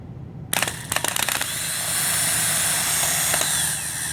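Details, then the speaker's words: Healthy starter bench test: starter pulled from a 2003 Honda Accord, after a few clicks spins up to a steady, even high whir with no grinding or catching, the continuous spin a good starter should give. "so that's you can hear the continuous motor spin that's how it's supposed to go"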